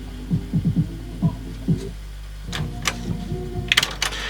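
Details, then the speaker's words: 1995 Marantz 74SD535 dual auto-reverse cassette deck on first playback test: music dull, smeared, treble missing, notes wavering; muffled distorted tape playback, tape possibly damaged. "that sounds as bad as well what's going on here okay promise I've messed the type up a bit what have we got going on here that was probably the issue with it it sounds really muted and horrible"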